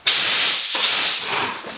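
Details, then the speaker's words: Newly installed shop compressed air line at 175 psi, blown out to clear threading swarf: sharp steady air rush for about two seconds then easing; line clear, no leaks heard. "yeah the other thing we need to do is blow any swarf that still pipes out before we start putting our final fittings on"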